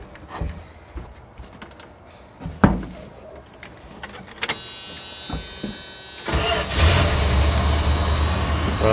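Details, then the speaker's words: 1986 Dodge W150 Royal SE 4x4 truck, about 161,000 miles, recently tuned up: after door and key noises it fires at once and settles to a steady, even idle with no knocks or misses; starts easily, runs healthy. "Runs pretty good. Starts fairly easy."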